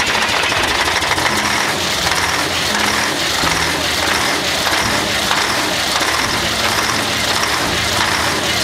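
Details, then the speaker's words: Flxible bus diesel cold start after sitting for weeks, cranked without starting spray: loud, uneven clatter with music behind it that gradually smooths out before warm-up idle. "So she's doing good. She's gonna scavenge for a minute. And she'll smooth out."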